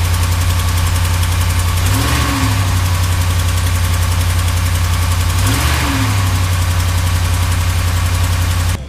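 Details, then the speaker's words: Dodge Ram Hemi V8 at cold start idle: light, quick ticking from a driver-side exhaust manifold leak due to snapped manifold studs; ticking fades once warm as expansion seals the gap. "basically when you first start the truck up you hear the ticking for a little bit once it heats up a little bit I guess everything expands a bit and it seals up that gap"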